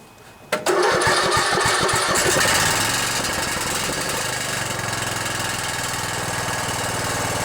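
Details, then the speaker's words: Riding mower with a single-cylinder Intech OHV 17.5 hp engine catches and settles into a steady run with a loose tinny buzz on top; the muffler is rattling, otherwise it sounds good, and a fix is planned. "The muffler's rattling a little bit. Yeah, that rattle is the muffler. Well, other than that muffler rattling, sounds pretty good."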